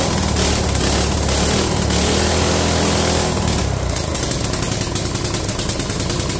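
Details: Free mini bike small single-cylinder engine after draining water from the carburetor float bowl, throttle not working: steady buzzy beat around two and a half pulses a second; idles fine on its own.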